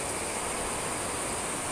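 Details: Yamaha Mio J electric starter after repair of the starter dynamo (fault was at the lower end of the armature shaft, not battery, brake switch, button or bendix): steady, even whir with no grinding, clicking or hesitation; normal starter operation.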